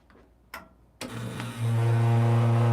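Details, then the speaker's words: Lelit Bianca espresso machine that also leaks excess water from the boiler: quiet clicks, then a loud, steady low drone with a hum as the brew starts. Owner suspects the rotary pump or its motor; not confirmed. Loud pump noise during brew. "okay all right uh still makes coffee but it gets really loud yeah because uh the decide to not to fix my uh most likely Rory pump or uh Rory pump or motor we don't know which one okay"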